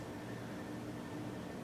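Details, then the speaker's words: 52-inch Litex Diamond Crystal ceiling fan on high speed turning slowly: steady thin motor whine over soft air hiss; owner suspects the capacitor but is unsure. "I'm just afraid the capacitor will puff up and then blue hope it doesn't happen but it does make a noise like a whining"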